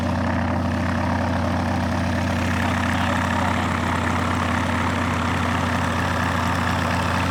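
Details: Rotec R2800 radial engine on an Aerolab LoCamp prototype airplane, first start after long-term storage and reassembly, fuel pump on: deep, even rumble with a steady beat of about two per second, no misses or stumbles; healthy, normal running.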